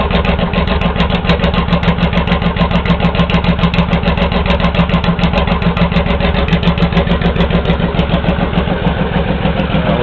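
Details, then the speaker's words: Honda VTX1800 V-twin with the pair valve removed and 3-inch hard chrome straight pipes: loud uneven beat around three and a half pulses a second; normal lumpy potato-potato loping idle. "it's a little bit more like a Holley more because I like the loing sound know the potato potato as they say"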